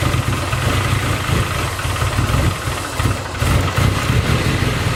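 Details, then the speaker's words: Nissan 240 with SR20 engine, idle lopes and stumbles with uneven dips in the exhaust beat, misses a cylinder when revved and runs very rich; misfire persists after a swap suspected ignition; faulty coil connector is the cause. "So unfortunately that didn't work. Car's still running really rough, sounding like it's misfiring."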